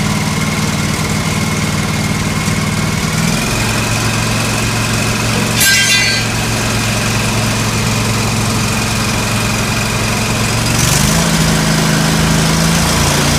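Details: John Deere L130 lawn tractor after a blown fuse was replaced with a new 20 amp fuse and the battery charged: small single engine holds a smooth, even idle with steady hum, no stumbles or knocks; runs normally.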